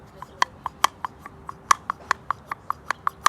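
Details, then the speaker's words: Toyota Corolla/Matrix XRS throttle body (P0505 code, high idle, sticking gas pedal), plate worked by hand: sharp dry clicks as the plate catches and snaps in a worn bore. Fix is boring and resurfacing the body, or an aftermarket throttle body. "that that what's making the noise is this right here it's this right here when this comes back to it and this is the worst one out of the three you hear when i'm opening it"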